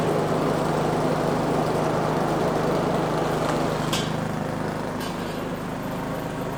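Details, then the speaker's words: Neglected Craftsman snow blower 247.889571, about half throttle after start with choke off: small single-cylinder fairly steady around 220 beats a minute, a little uneven and fading; smoothed out once choked a bit. "the engine it did start and it actually sounded very good you know the carburetor was running the engine although I did have to choke it a bit to get it to smooth out but it did smooth out"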